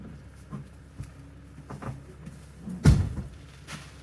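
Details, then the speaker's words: Abandoned 1984 Nissan/Datsun 720 with Z24 four-cylinder (8-plug wasted spark), first start after about 20 years sitting: quiet cranking with scattered weak putts, no catch; crank no start with occasional firing, owner suspects too little fuel or flooding. "I heard the putt-putt. Maybe I was too conservative with the gas."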